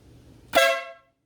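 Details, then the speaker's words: Motorcycle air/train horn just installed, relay kit: one loud, bright half-second blast then clean silence; horn works. "Yeah, it definitely works. Yep. Dang, that thing is loud."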